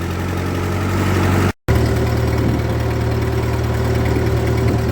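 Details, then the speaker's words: 1948 Ford 8N tractor after repair work, driving up a hill in the field: deep steady engine drone holds even under load with no misses, knocks or bogging, engine leans into it; normal running under load. "you can hear it now it's going up this hill and the engine can take it it just kind of leans into it and off we go"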